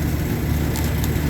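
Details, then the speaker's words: Three-phase HVAC compressor drawing locked-rotor amps (about 19 A) with proper voltage; heavy rough rumble with uneven thumping instead of steady hum; internal failure, broken valve reed and piston damage, compressor needs replacing. "it's pulling up the lock rotor amps it's not um it doesn't sound right there's something internally going on inside that compressor"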